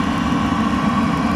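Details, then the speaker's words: Eberspacher Airtronic D4R (AM2 new-generation) diesel heater running about 10 minutes after the lock fault was solved and software flashed, phone placed close to the fuel pump; quiet steady hum with faint even fan whir, no surging, popping or ticking, normal running. "the phone here close to the pump. I don't know if you can hear it, but this is how silent it is once it's working properly."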